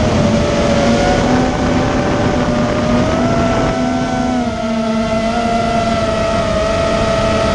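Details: Immersion Vortex 250 Pro motor test run after trying to fix bad bearing sounds: an even high whine at nearly constant speed with a faint low hum and no scraping or ticking, so the motor sounds healthy. One motor is barely warm and the others feel fine.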